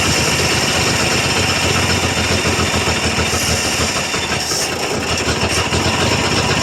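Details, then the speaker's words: 1966 GMC half-ton pickup with a 250 inline-six, first start after at least two years of sitting: loud uneven lumpy chugging with a stumble and backfire pop. Rough running; needs timing work, distributor found loose. "Well, she kind of took and backfired a little bit. Crank it over. All right, fire's out. Uh-huh. Well, it does run. Poorly, but it runs."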